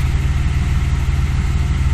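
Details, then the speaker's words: 2003 Audi A4 3.0L at 207,000 miles, idling with a lumpy, uneven, irregularly pulsing thrum and shaking; misfire codes 301–306 plus 171/173/174 and EVAP 441, temp gauge intermittent, plugs and oil changed; rough idle, possibly misfiring. "I have a pretty steady hand but the car is idling really rough"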